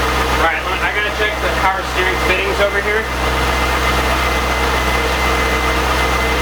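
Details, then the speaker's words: C5 Corvette first start after 4+ months of repairs replacing the harmonic balancer and entire front subframe, sat with computers off, in neutral: it fires up into a steady, even V8 idle with a smooth low rumble and no knocks or ticks. "it's good oh yeah there's a neutral it might not start the first time just because it's been sitting on the computers have been off so [Music] that's good oh yeah beautiful"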